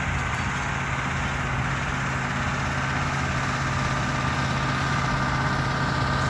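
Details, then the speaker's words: Massey Ferguson 1800 diesel pulling a 13-shank chisel plow in low range, overdrive, third gear: deep, steady drone that holds even under heavy draft with no knocks or misses, a strong, smooth working note; healthy. "friends that old girl's doing everything I could ask for it to do listen to that thing purr man I just love it"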